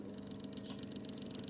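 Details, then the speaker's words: Cosom 751 record player motor after strip-down, cleaning and greasing, mounted upside down on the motor board and started via the shut-off micro switch: quiet steady low hum with light even patter, no grinding; runs very smoothly. "I've got it upside down on the motor board and it now actually runs very smoothly"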